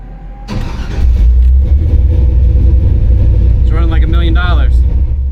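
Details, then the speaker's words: 1953 truck with an LS swap on Holley EFI, which previously ran on about four then six or seven cylinders while fouling plugs. After a firmware update it runs on all eight: a deep, loud, steady rumble whose brief rev picks up cleanly without a miss. Normal running. "after doing a firmware update uh everything was running on eight"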